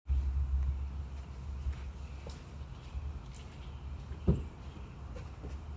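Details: 2013 Chevrolet Silverado 5.3 V8 with a cylinder 8 misfire, no code set yet, with vibration and bumpy feel when driving. Deep, lumpy idle with uneven throb and stumbles: engine misfire at idle. Owner plans to replace the coil pack.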